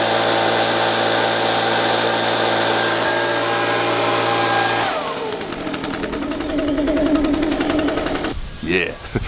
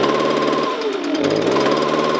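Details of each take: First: Two-stroke leaf blower after its spark arrestor screen was refitted: steady full-throttle scream, then a clean drop to a pattering idle; previously it bogged down with about 25% power. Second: Two-stroke leaf blower at full throttle sounding strained and uneven, pitch sagging instead of rising, bogging with about 25% power; likely cause a clogged spark arrestor screen in the exhaust.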